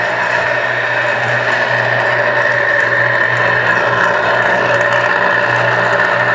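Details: Dancor 1/6 HP booster water pump motor running: loud rough raspy whir over steady hum, infernal noise from worn bearings; fix by replacing bearings.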